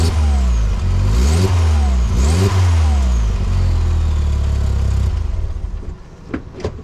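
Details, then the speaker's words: MK4 VW GTI 1.8T with Mega Racing exhaust, engine revved: coarse, raspy blat under the exhaust note; resonator broken in half, leak worse when hot after about a 20-minute drive. "so it's really you can't notice it until it gets really hot but i mean it literally sounds the exhaust system is about to fall out from under it when it gets really warm"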